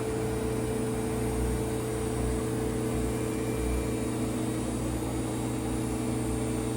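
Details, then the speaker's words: Whirlpool Duet WFW9450WW00 after cleaning and securing the loose door lock latch for F15 error, wash with 4 minutes left: low, steady hum with a faint drum swish, no banging or squealing, no codes. "4 minutes left and I haven't had any problems. No codes. It's been cycles are going on. Very nice and quiet."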